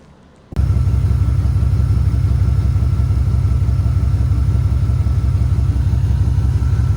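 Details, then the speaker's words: LT1 V8 at warm idle just after installing new headers replacing old exhaust manifolds, downpipes connected: deep, even, truck-like rumbling with steady pulses, no ticks or leaks; normal idle. "You hear that? It sounds like a truck. That's cuz the uh downpipes are connected to the exhaust."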